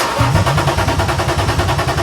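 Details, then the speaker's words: BMW E36 Touring, first start attempt after an M52 six-cylinder swap: two seconds of even cranking that never catches. Crank, no start, no fuel; the fuel pump does not run while cranking. "I don't think we're getting fuel."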